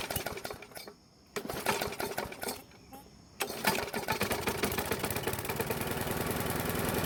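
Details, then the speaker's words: Free Bolens mower with a Briggs single-cylinder engine, running on a used spark plug after an oil-fouled one: catches after a couple of gaps, then chugs slow and uneven; old stale fuel and carb suspected, later traced to carb diaphragm and governor spring faults. "The other problem is that the engine is running really slow and a bit off. So there might be something wrong with the carb,"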